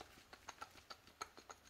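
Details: Old Jeep front hub rocked by hand before wheel bearing replacement: faint, irregular light clicks, several a second, from the loose hub, unlike the new bearing with no play; worn wheel bearing with play.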